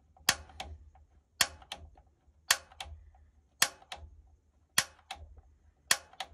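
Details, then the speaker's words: Newly installed gas water heater, knob on pilot and held in: sharp paired igniter clicks about once a second with a faint low rumble underneath as the pilot lights for the first time; normal igniter sparking and pilot ignition. "You can hear that little rumble. It would not hurt to keep clicking that clicker like the directions say."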